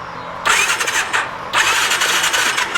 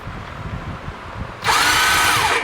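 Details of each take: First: 2019 Massimo T-Boss 410 EFI UTV, after replacing the sprag (one-way starter) clutch that had let the starter just spin: two short cranking bursts engage cleanly with no free-spinning whir; starter clutch now turning the engine normally. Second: 2019 Massimo T-Boss 410 EFI, key turned: high electric whir spins up for about a second with no cranking rhythm, starter freewheeling; suspected bad one-way sprag clutch behind the flywheel, later replaced.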